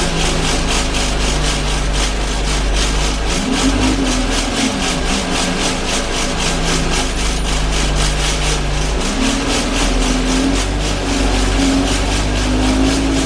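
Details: Alexander Dennis Enviro 200 diesel bus (YJ09 CVD) recorded onboard in service from Bradford to Batley: fast rhythmic rattling pulse, about three to four a second, over a loud diesel drone; heavy vibration noise while driving, source unknown.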